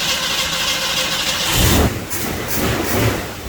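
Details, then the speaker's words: 1966 Mustang 289 V8 with a remanufactured 2-barrel carburetor, just after fuel pump replacement: brief crank, catches and settles into a steady, even idle with no misses or knocks; normal start. "Now see, that's a good sounding motor. So that fuel pump did the trick, y'all."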